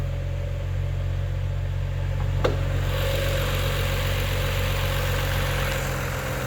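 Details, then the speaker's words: 2011 BMW 135i during a pre-purchase inspection, about 101,493 km, no warning lights, heard at the exhaust: smooth, even idle with a steady low hum and no knocks, ticks or squeals; sounds healthy. "you can hear the engine purrs nicely at the exhaust"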